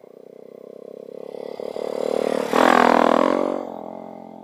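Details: Dax 125 Spigaou after an oil change with 30 SAE oil, new intake manifold and new stock-style stainless exhaust: steady throbbing exhaust rises to a louder, raspier roar under load then eases; runs cleanly, louder than the old pipe but bearable without a helmet.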